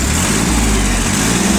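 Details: Yanmar F15D Japanese mini tractor, small diesel, revs raised slightly: runs smooth and steady with a slight lift in revs, no knocks or misses; healthy engine.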